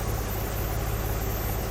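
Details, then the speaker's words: Porsche 996 911 Carrera, manual, just after exhaust reinstall: steady idle under a constant airy hiss; vacuum hose found with a hole, possibly brake booster line, causing a vacuum leak that could trigger a lean code. "i was poking around i can hear a vacuum leak so i started messing around and found that it's leaking"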